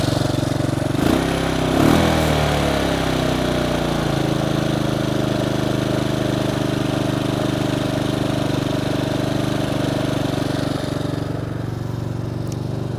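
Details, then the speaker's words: Bombardier Traxter 500 ATV, after a carburetor clean and rebuild, warm with choke fully in: after starting it settles into a steady, even idle with no misses or knocks, perhaps a touch fast but running properly. "when I walk around all you'll hear is a motor the choke is all the way in running as it should"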